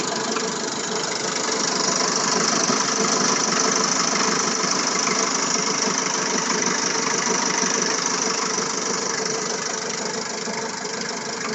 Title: От чего этот стук? Фазорегулятор, помпа и грм новые, масло елф тоже свежее.